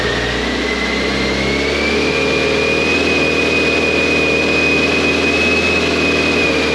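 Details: 1998 BMW K1100LT, about 83,000 miles, after fuel pump replacement and draining dirty, likely water-contaminated fuel tank: runs steadily, picks up smoothly with a high whine rising as it revs; sounds healthy, normal running.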